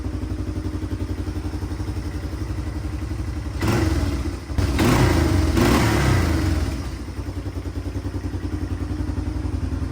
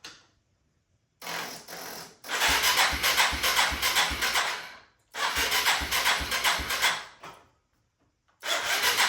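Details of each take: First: 1997 Yamaha Timberwolf 250 ATV after tune-up and battery reinstalled: even single-cylinder thump at steady idle with a brief blip, settling back smoothly; healthy idle. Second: 1997 Yamaha Timberwolf 250 ATV, choke on and carb cleaner sprayed in: three spells of brisk starter cranking, each a few seconds long, with no firing. The spark check found no spark because the run switch was off. Cranks but no start.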